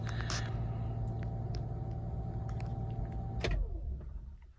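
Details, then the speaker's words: 2002 Acura MDX with a bad ignition switch: steady idle cuts out abruptly with a click, the electrics go dead, and the engine winds down to silence. Intermittent electrical faults make it shut off for no reason; owner unsure whether the ignition or the wiring harness is at fault. "There it goes. It just died. See how everything's dead?"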